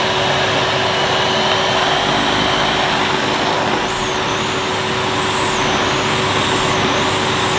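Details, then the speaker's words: 2005 Numatic Edward Turbo vacuum with turbo electric head, hose connected directly to nozzle: steady roar with wavering whine from the brush head dipping and returning as the head cuts out intermittently; owner suspects a loose connection in the head or the switch. "I think there's a little loose connection somewhere, so I don't know whether it's in the head itself or it's something to do with the switch"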